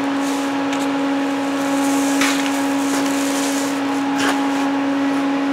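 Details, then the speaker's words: John Deere 1010E dozer blade repair welding: steady crackling hiss with a constant hum and sharp pops. The metal pops because it isn't hot enough yet. "Did you hear all that metal popping? It was talking to me. It was saying I ain't hot enough yet."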